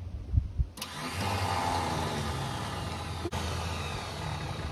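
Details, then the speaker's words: 1966 Ford F-250 Custom Cab sitting about 32 years, first crank in neutral with plugs in: steady grinding crank for about four seconds with no firing; cranks but won't start. "the starter is sick right you can tell the starter is sick I don't know if it's going to turn it over with plugs in it"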